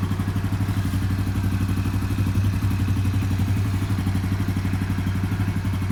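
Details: Yuki Gusto 50 C50 Chinese motorcycle after a mechanic's valve adjustment: small single runs with fast, uneven clatter and thumping, about four beats a second; valve clearances misadjusted by the service.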